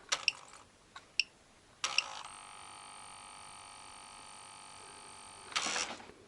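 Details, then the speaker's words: Car electrical test with the ignition on and the tester connected: sharp clicks, then a steady high buzzing hum for a few seconds and a closing click; the idle speed control valve is stepping and responding normally. "Once again, let's check the minus plus, you can even hear how the idle speed control operates, so"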